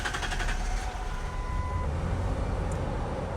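Quiet, even low rumble settling in after start with no stumbling or grinding; engine starts and runs fine on the new battery.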